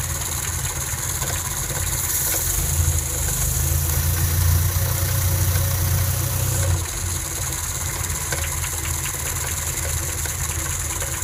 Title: Cold Start - engine knock1